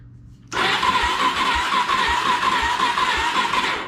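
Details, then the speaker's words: 2004 Suzuki DRZ400 bought as a non-runner: starter churns steadily about three seconds with slow regular compression thump, engine never catches; cranks without starting. "it doesn't run uh the guy basically gave it to me as is give me some tires give me two tanks which these things probably go for over 100 bucks each on online it doesn't run though so when you uh turn it on"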